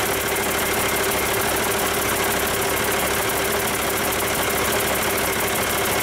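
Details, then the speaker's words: Rebuilt Cummins 8.3L diesel with an inline injection pump, with no coolant, second start test after rebuild: quick light-off, then a steady, even idle with no knocks or misses. Oil pressure comes up well, normal idle. "yeah i like it [Music] just can't help it give it one more try we'll see how quickly the oil pressure comes up i'd say it's like a champ"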